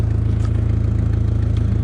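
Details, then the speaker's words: Audi recorded from underneath at idle: a deep idle with a rapid, even puffing pulse. The owner locates the leak at an exhaust area he had welded and ground down; an exhaust manifold gasket leak. "i came to the conclusion that the issue is right in this area here numbers uh where it's leaking"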